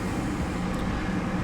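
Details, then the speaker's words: Gas furnace on a call for heat, flame sensor wire removed for a demonstration: the inducer motor starts and runs with an even, steady low hum, then the pressure switch clicks closed; normal inducer running. "Inducer comes on. Once that gets going, pressure switch closes."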